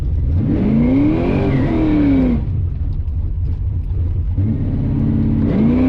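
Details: Drag-and-drive car recently switched from E85 to 91 gasoline to troubleshoot running issues, ignition suspected: revs climb hard then the note collapses into a ragged, uneven roar up top, like misfiring at high rpm; cause unconfirmed.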